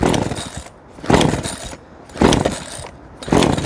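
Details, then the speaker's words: Two-stroke chainsaw flooded after repeated choke pulls: four recoil pulls, each a brief sputtering crank that never catches; fix is pulling to clear fuel, or cleaning and draining the spark plug. "안 걸리죠? 이게 지금 기름이 올라간 거예요."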